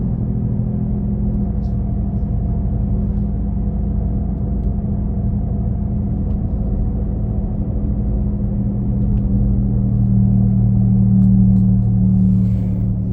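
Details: 2017 Nissan Leaf: deep, steady droning hum from the rear while driving, swelling slightly toward the end, loudest at 40-50 km/h but present at other speeds; source not pinned down, owner asks if normal.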